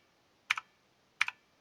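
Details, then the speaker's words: T-Dagger Bermuda T-TGK312-BL mechanical keyboard, Outemu Blue switches, after adding DIY rubber feet: two sharp key clicks, each followed by a short thin metallic ring from the switch springs; expected to fade with 1–2 months of use. "Well, you can hear the coils resonate. But I think that will pass with time. It will disappear after you use like 1-2 months. Or maybe you get used to it. You can hear that metallic resonance after the click."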